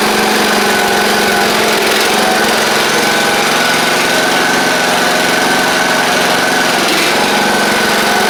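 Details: Craftsman YT4000 riding mower with a replacement engine fitted after the original 24 hp Briggs ran low on oil. A steady, even drone at constant speed with no knocks, misses or surging. It runs smoothly and healthy.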